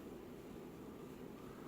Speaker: Here is high. Bearings were a little noisy, and oil couldn't get in there, so I used white lithium grease, and now it's silent.